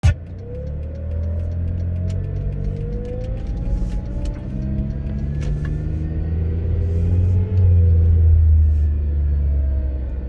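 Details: Failing AC compressor bearing: a constant, uncomfortable high whine over the engine rumble whenever the engine runs, at all RPMs, rising and falling with revs like a supercharger and noticeable when accelerating.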